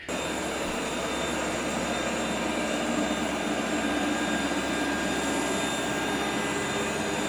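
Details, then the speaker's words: Shark RV1500ZXUS robot vacuum in cleaning mode: a steady, even whir with no grinding. It stops after about 30 seconds with a side wheels stuck error, caused by debris clogging the wheel motor encoders. "when I try to engage cleaning mode on that it just uh stops after about 30 seconds or so and says that the side wheels are stuck"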